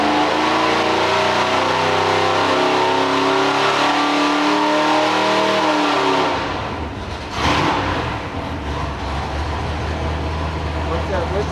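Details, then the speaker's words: Rare Ford 427 FE V8 on the dyno, first full-throttle pull taken to 5,000 rpm with timing at 32 degrees: climbs smoothly and drops back, a clean, even pull making 558 hp and 608 lb-ft. "First pull, 558. 608 foot-pounds of torque."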